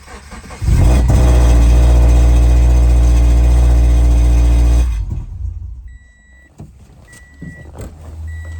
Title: 13 Subaru BRZ Engine Rod Knock #1364